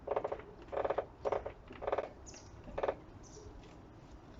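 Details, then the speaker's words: Audi 80: loud squeaky creaks in bursts when turning the steering wheel, mainly to the left, from the driver's side front strut; worn strut top mount suspected, felt as vibration there. "хорошо слышно и чувствуется что вот здесь вот прям какая-то вибрация крест такой Неужели опорник у кранты"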